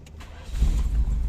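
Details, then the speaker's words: Automatic-transmission engine converted from ECU injection to carburetor and distributor after its computer box went missing and it sat about 3 years: brief crank catching first try, settling to steady low idle; clean one-click start. "Ayan, no? One click start naman po siya."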